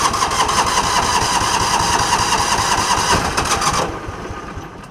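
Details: John Deere Gator, hard starting misdiagnosed as carb trouble; about four seconds of steady starter cranking with no catch, idles only with choke feathering once started; weak spark from a failing ignition coil (Kawasaki 21171-7034), fix is coil replacement.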